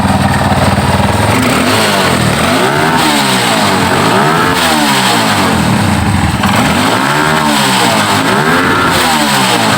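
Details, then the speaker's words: Yamaha Scorpio motorcycle with complaint of no power and sputtering, started without choke during carburetor setting: revs climb and fall repeatedly, pitch sweeping up cleanly with no popping or hesitation; clean free revving. "ini saya kontak lagi, saya hidupkan tanpa cuk ya, itu sudah ke atas"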